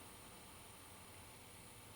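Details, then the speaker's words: Early-2000s generic Athlon XP beige-box PC with junk RetailPlus "465 W" power supply, first power-on; steady airy rush with thin high whine, fan loud and rough, high-pitched whine noted, cause not confirmed. "flip the power i don't see a green standby led but that doesn't mean much it's on someone sounds like garbage"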